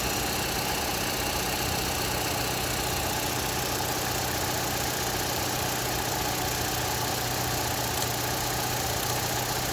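Steady idle with a dense, noisy knock mixed into the running; no clear single beat stands out, so the source under the engine is unknown.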